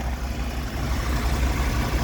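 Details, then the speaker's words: Used old Dodge 4x4 truck inspection at idle, exhaust not cut: deep even rumble with no knocks, ticks, bangs or valve noise; engine sounds healthy and runs well. "and it's not super loud a lot of people just chop the exhaust off these trucks and send it but this is a good running truck"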